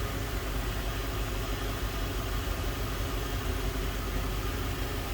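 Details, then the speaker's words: 2004 Ford Thunderbird roadster, low-mileage, 3.9 liter dual overhead cam V8 with automatic transmission, heard with the hood open: even, steady low hum, no ticks, knocks or stumbles; runs nice and smooth, normal idle. "nice and smooth, sounds good, looks good underneath the hood."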